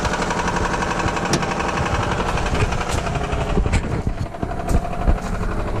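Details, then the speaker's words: Lexus SUV that was run out of oil, oil light on: loud, heavy, uneven metallic hammering over a rough-running engine. The oil pump is suspected to have failed from lack of oil, and the bottom end sounds badly damaged. "The sound that you're hearing is $20,000 just going out your pocket. And they just put brand new tires in this thing too. That's sounding terrible."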